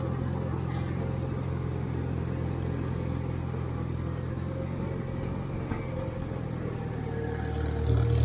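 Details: 1958 Farmall 350 tractor driving toward the creek after carburetor and fuel-tank flow fix: low, steady drone pulling evenly, no misses or stumbles; running healthily, though charging briefly dropped out.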